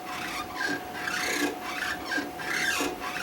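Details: Stamina InMotion E1000 mechanical elliptical trainer: scraping squeak repeating about every 0.7 seconds, once per stride, with no motor behind it. The roller wheel scrubs because it tracks off-line against the other wheel; roller wheel bearing squeak.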